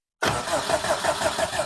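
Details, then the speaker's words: Subaru WRX (cheap rebuild project) cranking in neutral with clutch down, first power-up, fuel pump heard priming beforehand; even strong cranking about six beats per second, no grinding or dragging, starter turns engine over normally before compression testing. "Okay. All right. So, we got it to crank. We have electrical power to it. I heard the fuel pump priming."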